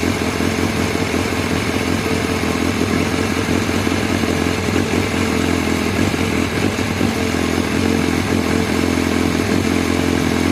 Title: BMW s1000r rough idle 2